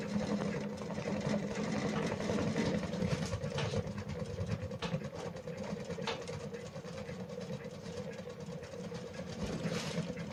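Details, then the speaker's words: Shinpo Seisakusho FIRE SIDE wood stove with newly fitted damper, burning thin branch kindling, damper closed: soft loose fluttering puff about twice a second over low rumble, slower pattering like easing off a throttle; reduced air intake, drawing normally. "空気を吸い込む時のパタパタパタっていう音がテンポが少し遅くなったのがお分かりでしょうか。エンジンのアクセルを緩めた時のような感じがします。"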